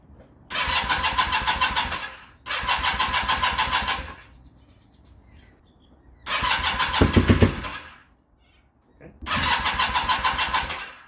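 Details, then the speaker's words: Kawasaki KZ440 project bike, charged battery and new spark plugs: four short bursts of uneven firing, about two seconds each, catching then dying; starts on choke but won't idle, carburetion likely. "Alright, so right now it's starting with choke, but not idling. So, we're back at square one."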